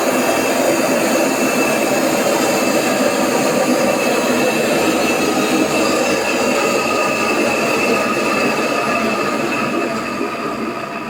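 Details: AEG Öko Lavamat 4100 washing machine spin test stepping through 800, 900 and 1000 rpm: loud, steady roar with a hard whine on top holding through the spin; worn drum bearings.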